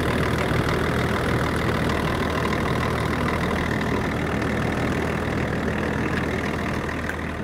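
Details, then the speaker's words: 24-year-old Range Rover P38 diesel, abandoned five years, jump-started and idling to warm up to thermostat temperature while bleeding air from the coolant system: steady, even diesel clatter with a smooth unchanging beat, no knocks or misses; sounds healthy. "so now that she's idling away there nicely sounding really nice"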